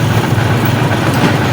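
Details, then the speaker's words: Honda XR150 idling after fitting a replacement clutch housing; steady hum with a faint whine from the mismatched, non-set replacement clutch housing and its gear. "So meron siyangang alingaw mga idea. So dapat ah set kasi ito kasi kapag ganito lang may tinsi na ingay yan."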